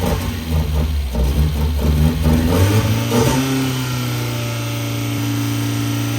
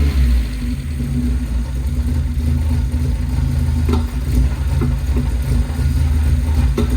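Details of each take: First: Mazda Miata (NA8/NB6 engine swap) test-run day: revs rise and fall, then steady idle with a constant droning hum from a failing alternator; to be replaced with the alternator taken off the 1.8. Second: Mazda Miata engine swap after fitting a replacement alternator, belts and power steering: low, steady idle rumble with a faint even whir, no knocks or misses; started up not too bad, running acceptably.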